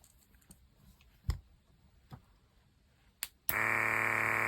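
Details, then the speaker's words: Electric diamond painting pen (E-Painter) vacuum pump, second of two Amazon pens compared; after light clicks the pump buzzes loud, steady and high, much noisier than the other: loud pump noise. "It's a lot noisier. You can really hear that one a lot more."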